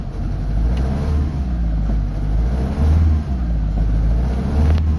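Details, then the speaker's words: Mitsubishi Lancer Galant, 4G92 petrol engine, stored for two years. Push-started and revved, it gives an uneven, stumbling rumble that struggles to climb: a misfire with low power and no check engine light. "Ah o mga bossing ano palyado siya mga boss. So eh ire-reb natin."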